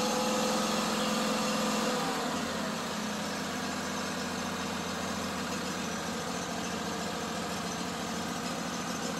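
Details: Older Ferris mower with Kohler CV25S twin, after reassembling a disassembled lifter, valve covers and rocker arms: steady even drone at constant speed, no knocks or misses; runs smooth and healthy.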